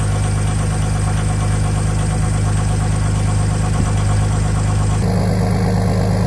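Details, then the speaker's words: Jeep Commander swapped to a 3.0L OM642 diesel V6 from a Grand Cherokee, factory diesel exhaust with muffler: steady, even diesel clatter at cold-start high idle, dropping to a middle level as the engine warms; healthy. "right now the entrance on high idle it'll stay like this for a couple minutes once once the engine warms up a little bit then it automatically goes down to the middle level"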